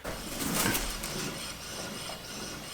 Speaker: so let's give it a spin test this one's nice and quiet also I like to check it a couple of times